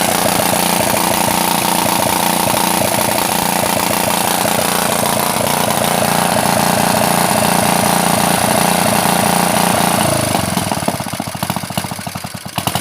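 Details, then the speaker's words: Honda GX160-powered water pump after an overnight flood soaking and cleanup, first test run; it runs loud and raspy with a harsh, uneven exhaust beat and slight hunting before dying, the muffler being broken and the carburetor still needing adjustment. "tapi jangan kaget ya karena kenalpotnya ini sebenarnya sudah tidak ada apa-apanya ini tidak lam sudah-sudah ini sudah rusak nanti suaranya kasar"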